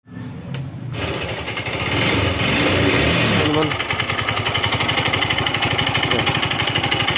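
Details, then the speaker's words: Yamaha Xeon automatic scooter, owner suspected loose roller housing, before CVT teardown: harsh rapid knocking about three a second over idle, very rough. "Oke teman-teman, kalian dengar kan, suaranya kasar banget, ya?"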